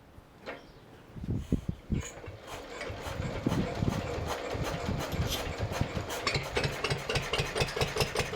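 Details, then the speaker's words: Vintage Lister D petrol stationary engine after carburettor rebuild, first test run: uneven pops around three beats a second, never settling; erratic governing because throttle shaft too tight for spring to return, later freed by fettling. "So after the first test run, it's become apparent that the throttle shaft is just a bit too tight. See how the spring isn't enough to bring it back up to the top."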